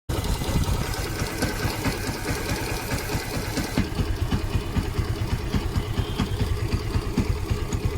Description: Bad noise coming from the clutch assembly of Yamaha V3 150? 😵‍🔧